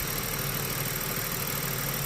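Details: Ford FG2 Falcon after P2110 throttle body code work, suspected manifold bolt air leak or dirt on throttle blade: quiet, smooth, even idle with no hunting or stumble, throttle steady at 14–15% versus about 19% before; idle back to normal.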